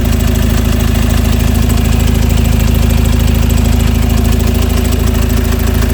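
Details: 2015 Peugeot Boxer diesel just after a full oil service and fuel filter replacement. An even diesel clatter at a steady, regular idle with no misses or knocks: normal diesel idle.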